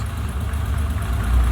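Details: BMW E30 M20B25 turbo idling after the no-start was fixed; the cause was just the fuel pump. Steady, even low rumble with no knocks or misses; it later drove and passed its MOT.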